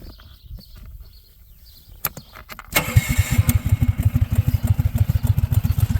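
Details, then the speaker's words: Electric-start 420cc Predator single-cylinder engine swapped into a Hyundai golf cart with CVT clutch, stock transmission, welded 90-degree header, choke not hooked up; short crank then fires and settles into a steady thumping idle, healthy, set about as low as wanted. "I could even probably lower that a little bit. It's about as low as an idle as I want, so it still has enough to grab."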